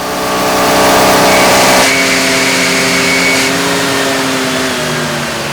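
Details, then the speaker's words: Stock 1966 AMC Rambler American with the 199 cubic inch straight six, on a chassis dyno pull without the air cleaner: a thin, steady high squeal rides over the revving engine under load; it is not belt slip and the source was never found. "Run it may sound a little bit like belt SLP on camera but that's not what it was we never did figure out what exactly was making that squeal but it made me not want to stand near the engine during the poles anymore"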